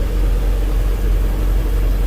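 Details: 2003 MerCruiser boat engine, refueled after running out (28 gallons into 30-gallon tank): smooth constant deep drone, no ticking or stumbling, fuel pump current 8–9 amps, settled even run.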